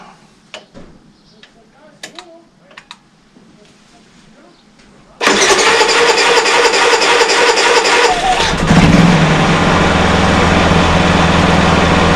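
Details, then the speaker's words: Honda EU30iS generator, GX200 engine rebuilt with new piston rings, timing reset and valve clearances readjusted to metric spec, after a long time not started: pull-start catches cleanly, no smoke, steady even run without misfire; normal start and idle. "let's see if you can start with it starts with the pull handle no smoke run smooth"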